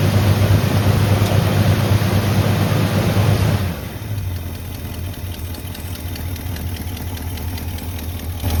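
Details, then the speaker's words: 1985 Chevy C20 after sitting 10+ years: low, choppy idle with a light tick about three per second; suspected lifter noise, not confirmed, and sounds good when revved. "It almost sounds like we got a little bit of lifter noise, but I'm gonna gonna let it idle for a little bit."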